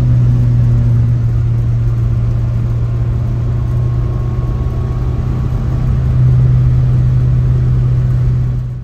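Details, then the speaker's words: 1967 Austin Cooper S on first test drive after about 8 years sitting; smooth even engine drone, no misses or knocks, revving properly, oil pressure good; owner thinks valves are cleaning up and it now runs really well. "the engine is already sounding a lot better it's revving up like it should I can tell that the vals are getting cleaned up the engine starting to run really well now"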